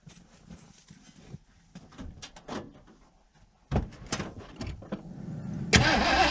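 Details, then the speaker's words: 1980 Ford Bronco, first start in 18 months, cold snowy weather, primed with fuel and ether: scattered cranking bursts, then loud rough roar running briefly; fuel not being pumped up to carburetor bowls; fires only on priming fuel. "dang thing almost acts like it's not getting gas pumped up"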